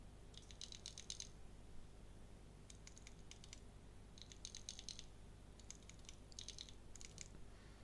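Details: Stock unsilenced arcade stick button, compared with one fitted with a silencer pad: sharp, bright plastic clicks in quick bursts of four or five presses with no cushioning.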